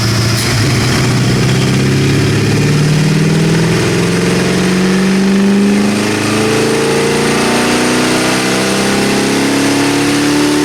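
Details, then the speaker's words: 1979 AMC Spirit AMX 304 V8 with Brawler carb, warm on dyno after throttle-cable fix: note climbs unevenly from low rumble with slight stumble on pickup; lean tip-in, needs more accelerator pump shot. "little lean tip in so I need more pump shot"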